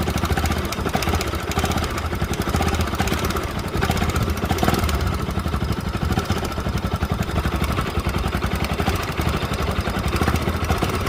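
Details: Bajaj Pulsar NS200 at idle: even idle with a fast, busy metallic clatter on top of the engine; top-end noise, timing chain, tensioner and guides to be checked, cause not yet found.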